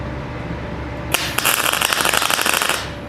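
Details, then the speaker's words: PrimeWeld MIG160Ts on 220 V, solid .030 wire, C25 gas, 1/8 in steel, around 20–21.5 V with wire speed maxed: arc runs about a second and a half with uneven crackling pops; voltage and wire speed poorly matched. "Yeah, I don't like that at all. I'm going to turn it up to about 21, now about 20, and I'm going to max out my wire speed. I don't like that either."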